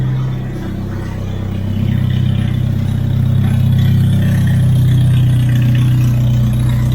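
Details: Hyundai Genesis turbo, first full start in a long time after coolant refill: very loud, deep, steady droning idle, unmuffled; loud because wastegate not fitted, fresh thermal coating burning off.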